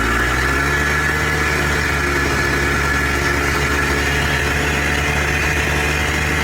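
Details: Polaris Trail Boss 250 4x4 ATV rescued from scrap, just started with a little throttle after hard starting: steady low burble, even firing, no misses or stumbles; idles normally, runs and drives.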